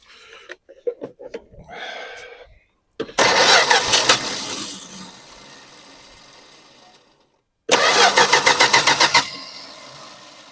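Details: 1974 Dodge Dart Swinger that has been sitting a while, fuel poured down the carb: two long cranking bursts at about four turns a second with no catch; carb bowl drained, fuel must be drawn up from the tank.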